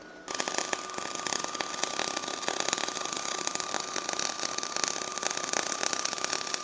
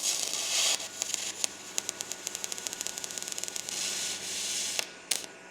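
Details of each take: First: R-Tech 181 Digital MIG welder with spool gun on aluminium, voltage turned down: even, fine crackle holds steady for about twelve seconds then stops; a consistent arc giving an acceptable first-attempt bead. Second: R Tech 181 digital MIG welder, first use, earth polarity uncertain (negative vs positive), welding mild steel: the arc gives a hissy crackle that breaks into uneven pops and sputters instead of a steady buzz; erratic arc, cause unclear.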